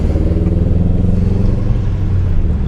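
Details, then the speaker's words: Subaru with failed cylinder 3 ignition coil (P0303, check engine light): deep drone with uneven lumpy stumbling beat before coil replacement; misfire from dead cylinder. "getting used to this uh misfire life I guess it's pretty shitty I only will have to do this two more times when the other two cylinders go out it's just as fun the second time I'm sure it'll be just as fun the third and fourth time it really runs like [ __ ] doesn't it"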